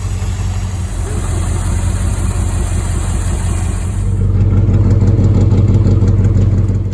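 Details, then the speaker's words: Old Ford bus V8 after teardown and rebuild for no power, first run, no obvious leaks: low steady rumble, smooth even beat, gentle rise in revs, no tapping or misses; normal idle after repair. "All right, we have had success. Take it apart, put it back together, it still runs."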